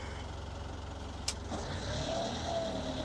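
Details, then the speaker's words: Cold boat diesel, unrun for a while, shifted into forward. It went right in: steady low idle, one short click, then revs rise smoothly with no grinding. Normal gear engagement. "Went right in, didn't even grind. Okay, I'm moving forward a little bit."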